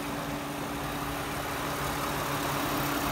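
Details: 2006 Toyota Sienna XLE, hood open: quiet, steady idle with a soft, even light ticking from the valvetrain and injectors on top, which the phone mic picks up; nothing abnormal, a healthy idle.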